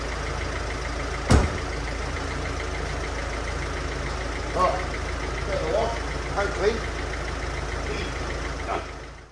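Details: 2010 Mercedes Vito, OM646 diesel, after replacing two leaking injector seals and cleaning the carbon: steady, even idle clatter, no chuffing from the head, a couple of handling clunks; healthy now.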